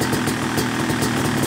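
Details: Yamaha YZ250 two-stroke motocross bike (270cc/250cc) after full engine rebuild (bottom end, transmission, bearings, clutch, power valve), third start-up, with gentle revving during break-in: crisp even idle, steady rapid popping, no knocks or misses; normal.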